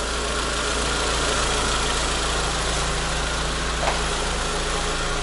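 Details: Renault Logan phase 2, 1.6 engine, manual gearbox, after clutch, clutch cable, wheel bearing, shifter, ABS and rear beam bushing repairs: steady, even idle with smooth low hum, no knocks or shudder; normal idle.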